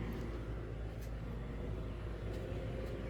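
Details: Central AC outdoor unit running during a weeks-long heat wave that reached the high 90s the week before; owner says it sounds pretty good and more level than last year. Steady, even low hum and fan rush, no knocks; normal running.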